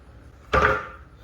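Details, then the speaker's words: 2013 BMW X5 E70 after front strut replacement with Bilsteins: the corner is levered, giving one short solid knock, then quiet with no hiss, swish or loose clunk. Strut is sound. "no wishing no hydraulic sounds no thunking that's what it should do so that's how you check it"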